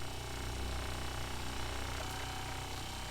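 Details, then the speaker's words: Kohree HY1733 12V 3.5 GPM 55 PSI diaphragm RV water pump, microphone pointed at pump, meter reading about 68–69 dB: steady even low buzz with soft rapid pulse about three a second; running normally, much quieter than the Shurflo. "wow right about 68 69 that is a huge difference in noise level and it sounds pretty apparent to me here just listening in the vibrations are a lot softer not nearly as loud"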